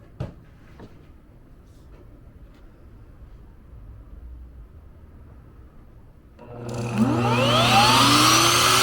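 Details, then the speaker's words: Motor test run with bearing left off: quiet, then spins up to strong, steady high whine with clean even rise and no rattle or grind; running normally and very powerful, variable speed. "You hear how strong that thing is? Yeah. Don't do that, though, gang. This thing is so powerful."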